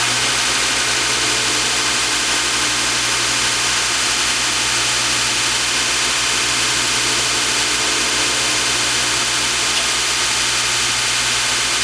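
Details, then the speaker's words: Wilton 6" x 48" belt sander after replacing its bearings: smooth constant motor hum under an even belt hiss, no rumble, squeal or grinding; the new bearings run quietly. "sound real nice well that makes me happy"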